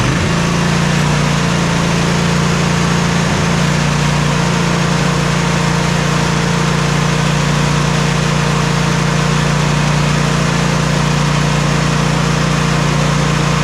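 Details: Simplicity Regent S mower engine, jump-started on a booster pack because of its weak 230 CCA battery, holds a steady, even low drone at constant speed with no misses or knocks. Normal running.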